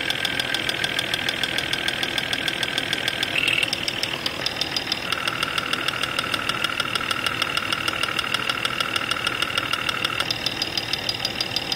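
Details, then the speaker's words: Jeep XJ Cherokee at 175,000 miles with an intermittent, mostly cold knock since 125,000, chassis-ear probe on the timing cover at idle: a sharp regular tick about three per second. "okay number five cylinder is quite loud we're gonna pull the number five spark plug wire off to take the load off that cylinder and see if that has an impact on the noise"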